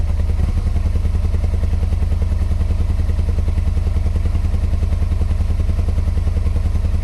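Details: 1986 Yamaha Venture Royale 1300 motorcycle, 86,000 km, first start after 7 years on old gas and 7-year-old oil, dead battery, jump-powered; deep, heavy even thumping about three and a half a second, knocking blamed on old oil, cause unclear.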